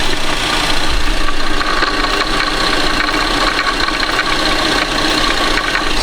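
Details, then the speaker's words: Tapping at the camshaft position sensor (OEM) of a 2011 Buick Enclave 3.6 at idle, heard through a screwdriver held on the sensor; the vehicle starts and stalls with no codes after a new crank sensor and plenum gasket; tap source unconfirmed. "hear that that's not a sound you want coming from your cam sensor lady um that could be bad"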